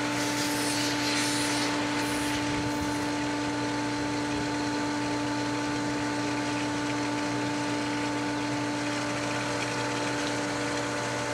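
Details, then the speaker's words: Pool pump refilling diatomaceous earth filter at pool opening, filter pressure rising to about 20: steady unchanging motor hum, constant tone, smooth water flow, air rushing; no cavitation or bearing noise, pump runs normally. "Now it's got to refill the filter once again. So we watch the gauge come up. and it's starting to. You can hear the air rushing and the pressure increases."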